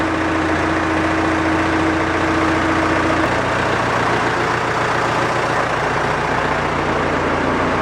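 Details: Massey Ferguson Super 90 tractor, Perkins diesel, first test run after new head gasket, planed head, new fuel shutoff valve and rubber fuel line, bled but some air possible; catches and settles to an even steady idle; normal idle.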